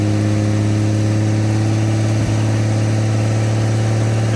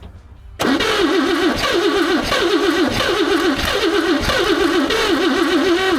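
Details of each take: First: 1954 Chevrolet inline six revived after sitting two decades, idling on open exhaust: loud, steady, even drone with no ticks or stumbles, "a Swiss watch"; shut off because of fuel leaks. Normal idle. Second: 1954 Chevrolet revived after two decades sitting, slight exhaust leak; cranks, catches, then uneven wobbling stumbling idle because number one spark plug left out; misfire from missing spark plug.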